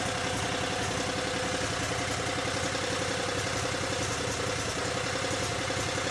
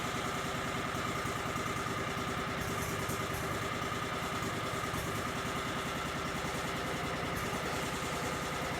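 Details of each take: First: Cub Cadet 3205 garden tractor (3000 series, Kawasaki engine) idling and warming up after charge pump rebuild, no leaks found; steady, even idle with smooth regular beat, no knocks, squeals or surging; normal idle. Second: Cub Cadet 3205 just after charge pump rebuild with new gerotor assembly, idling while controls are slowly moved to bleed power steering and hydraulics: faint constant whine and hiss over the engine; air in hydraulic system.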